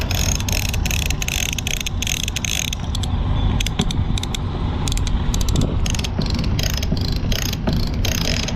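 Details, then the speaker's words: Lewmar 58ST electric winch on an Amel Super Maramu 2000, after a rebuild with pawls cleaned and oiled and gears greased: crisp, evenly spaced pawl clicks over a steady gear hum as the drum turns; normal, healthy operation. "and it sounds really good listen to that you can hear all the pals just clicking nice"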